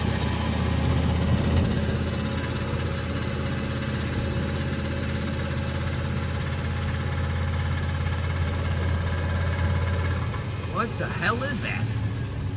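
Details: Turbocharged 5.3 V8 Chevelle engine revved to about 2,000 and up to 3,500 rpm; a deep drone with a loose, uneven rattle riding on top that follows the revs. The rattle has grown louder with driving, and its source is unknown.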